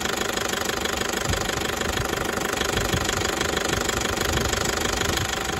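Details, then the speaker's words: Toyota 1KD-FTV D4D diesel at idle, just after injector work, started cold; hard even knocking rattle about three beats a second cycling roughly 10 seconds on, 10 off, only at idle; owner suspects water, later fixed itself. "19 seconds it stops I was doing it for 10 seconds yeah let's see how long it stops for it's a bit like 10 on 10 off"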